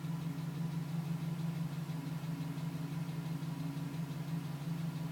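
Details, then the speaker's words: 2010 GMC Sierra V8 with 2000 miles, cold start idle at about 4 minutes: light, regular tick about three per second; stops at 5 minutes 42 seconds as temperature rises; owner suspects piston slap, unconfirmed. "Still tapping at 4 minutes."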